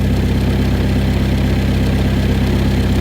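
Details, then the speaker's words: Mk1 Ford Escort with rebuilt YB engine, still cold and steaming, ignition timing just checked spot on with strobe, air filter refitted: steady, even idle with smooth low rumble, no knocks or misses, quieter than expected through exhaust; normal idle. "that is sweet oh I'm so happy genuinely doesn't sound as loud as I thought it would either not even with my uh all R the exhaust"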